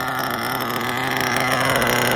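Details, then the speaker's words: Mugen MBX5 1/8 nitro buggy that sat 14 weeks put away wet, after tuning the low-speed needle a full turn out, idling steadily at a high-pitched buzz, smooth and even with a slight rise at the end, likely running low on fuel. "I don't know how there's still fuel in there. Sounded pretty good. I think we're there."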